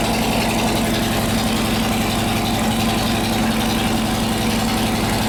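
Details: S&S 93ci alt/gen Evo with panhead rocker box conversion in a Harley chopper, about 250 miles after sitting around 12 years, after no-oil-pressure repair: loud steady V-twin idle, even low pulses, no ticking or knocking; oil pressure present, oil low and foaming.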